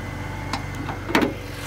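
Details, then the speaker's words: 2006 BMW 330i (E90) with the N52 engine, after adding a small amount of Lucas heavy-duty oil stabilizer to cure a lifter tick. It now starts easier and idles with a smooth, even hum and no ticking from the top end. "it starts easier like when you start it up it doesn't sound horrible like it did bike I'm actually kind of happy about it sounds super smooth yeah"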